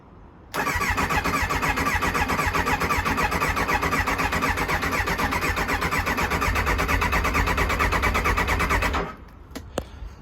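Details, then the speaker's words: Kawasaki ZX9R left outdoors over four years, with fresh fuel and filter, a cleaned air filter and choke applied, on an old battery: the starter churns steadily at about four beats a second for eight seconds without catching. Cranking, no start. "it wants to start I can't believe it I'm going to give it some choke"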